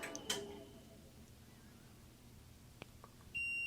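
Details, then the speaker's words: Bluetti AC300 powered on with a B300K expansion battery (not officially compatible), public firmware: a couple of short chirps, then a steady high beep as a DCU warning alarm fires momentarily and then clears; startup DCU warning alarm. "and it makes a beeping noise and momentarily fires an alarm for a DCU warning and then the alarm clears and goes away"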